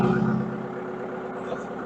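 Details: Bobcat skid-steer (753 or S130) diesel just started with a little under half a tank of fuel settles quickly into a smooth, steady idle with no knocks or misses; sounds healthy.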